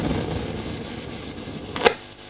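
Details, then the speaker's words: Fender Twin Reverb reissue amplifier; low rumble building then sharp crackling pop over hiss, intermittent crackle isolated to normal channel, louder when cabinet top is banged. "i'm starting to hear a bit of a rumble building up here a bit of a bit of a kind of noise"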